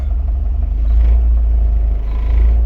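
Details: Jeep Wrangler petrol engine at idle with a deep, steady, even rumble during bi-directional scan tool tests.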